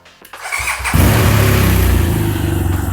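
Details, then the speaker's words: Salvage-auction 2014 BMW R1200 GS boxer after repair and clearing ABS and backfire fault codes; short crank, catches within a second, settles to steady even idle with no misses or smoke, sounds powerful and healthy. "okay and it started really nice um it sounds fantastic wow this sounds so good and it sounds so powerful"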